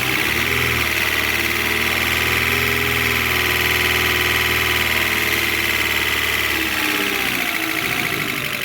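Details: Alfa Romeo 147 Twin Spark, towed in for misfires, rough idle and hard starting, after new valve seals and timing belt work: steady, even petrol idle with a light constant top-end whirr, no stumbles; normal idle.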